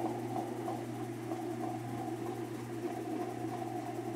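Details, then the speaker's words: Whirlpool top-load washer after repair (rotted tub replaced, agitator with rotted bolt replaced), on spin before lid is opened: quiet, steady hum at constant speed, no knocking, scraping or wobble; normal spin. "Y ahí está haciendo el exprimido. Vamos a abrir la tapa para ver que esté girando la tina."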